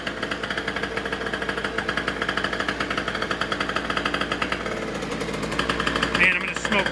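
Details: Two-stroke race scooter, total-loss electrics, running race gas: fast crisp even rapping pulses building steadily as it revs; healthy normal two-stroke running.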